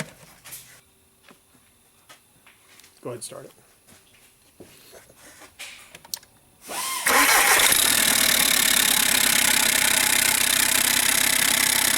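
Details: 2009 VW Jetta TDI, CBEA diesel, EGR pipe removed: quiet clicking, then the engine fires and keeps idling with a loud, steady rushing hiss of exhaust escaping through the open EGR pipe.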